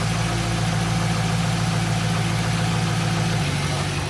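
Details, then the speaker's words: Warm idle on a stock 2002 Pontiac Trans Am WS6, uneven lumpy beat with occasional stumble; cylinders four and five showed misfires, cutting four made it worse, five unchanged; misfire traced to a worn spark plug. "so number four we turned it off it got worse number five we turned it off and stay the same I think number five is t"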